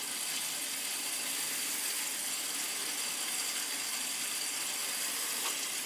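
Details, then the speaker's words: Crown gas boiler (converted from oil) being purged: steady hissing rush with spitting and sputtering as water and trapped air blow out the purge valve of the air-bound upper (third) floor zone; possibly a stuck feeder. "oh yeah there's definitely air in this one hear it the upper floor that's where the air is"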